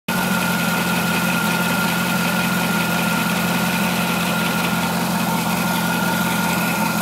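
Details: Corvette C5 V8 idling steadily with a light, fast ticking from underneath the engine, toward the front near the harmonic balancer.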